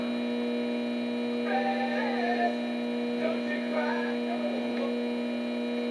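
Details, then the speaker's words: Realtone 2208 W radio under repair: steady low buzzing hum with rough noise over it from the signal tracer; the noise just started, cause unknown. "now that the noise you're hearing now is something that just started happening with my signal Tracer I have no idea why it's doing that"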